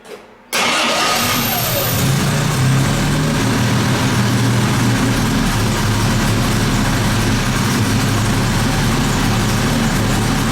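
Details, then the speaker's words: 1958 Jaguar XK150 roadster, cold start on automatic choke with no throttle pedal fitted: the engine catches at once and holds a steady, slightly high fast idle, normal for its cold-start choke. "foreign this is on an automatic choke there's no choke on this as such automatic um so it is a bit higher revvy when it first starts up when it's cold"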